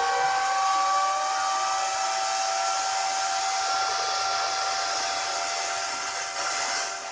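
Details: Bitmain AntMiner S9 Batch 3 (12.93 TH) on an alternative PSU, still booting with fault light blinking: loud steady high-pitched fan roar, tones easing slightly as fans settle at full speed; normal startup fan noise.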